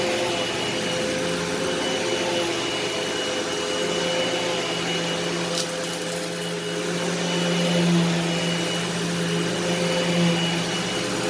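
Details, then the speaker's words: Eureka SmartVac 4870 upright vacuum rebuilt from two broken machines, running on high-carpet setting: smooth, steady motor drone at constant pitch, no grinding, squeal or surging; normal running, though the belt later seems to slip slightly. "we're going to turn it on and see if it works hopefully it does yep on high carpet that's what we want"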